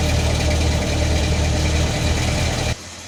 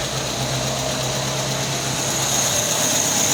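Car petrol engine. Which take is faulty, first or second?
first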